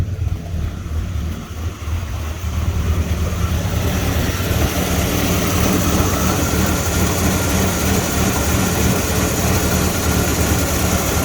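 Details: Ford EB Falcon manual six-cylinder, cold start after sitting over a week, slow to start, smoke, leads checked and sparking, before throttle body/actuator cleaning: low uneven loping idle that wavers; rough idle, cause not pinned down.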